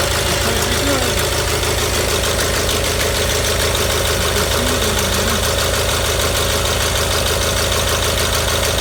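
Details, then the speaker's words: Gravely 817 with Onan CCKA twin after starter repair: even idle chug with no clicking or gear clash, starter gear retracted clear of flywheel; runs healthy. "Yeah, we should be good. I didn't hear it hit once, and I could see while it was running that the gear was retracted very far away from the flywheel, so I think we're in good shape."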